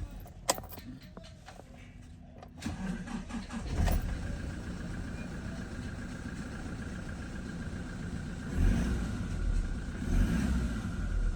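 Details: 2020 Toyota Revo diesel after replacing the crankshaft sensor, which was giving no reading (code P0338, long crank and no start; wiring checked OK): a short crank, prompt start and a steady low idle clatter without stumbling; normal start after repair.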